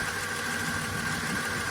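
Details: Dodge VJ ute, first start after long sitting, no transmission fitted: steady idle with a faint busy rattle, nasty at first fire-up and quietening as it runs; owner suspects the clutch thrust bearing on the pressure plate, from the rear.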